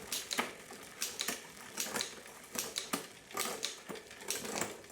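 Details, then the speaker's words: 1999 Diamondback Sorrento bicycle on its first service in about 20-25 years: rhythmic bursts of dry, rasping ticks about twice a second with each pedal stroke during gear adjustment; the chain is dry and needs lubrication. "It's a bit noisy. You can hear it drying."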